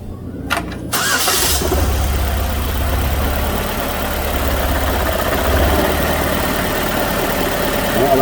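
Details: 2006 Chevrolet Malibu 2.2 Ecotec four-cylinder, flashing MIL, P0300, plugs already changed: engine catches into lumpy, uneven, steadily stumbling idle; cylinders 1 and 4 not firing, no spark from failed ignition control module. Misfire from ignition control module fault.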